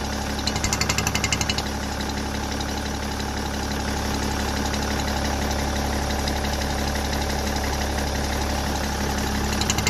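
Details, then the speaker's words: BMW M57 diesel at steady idle with the oil filler cap removed: a light, quick, even tick about three times a second rides on top, coming from the vacuum pump, which is normal on the M57. "To cykanie pochodzi z pompy Vacum, ono jest normalne w M57"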